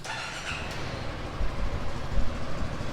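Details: Yamaha XMAX 300 single-cylinder scooter after replacing the cylinder, piston and rings: the engine starts and settles into a steady, low idle with no knocking or rattle.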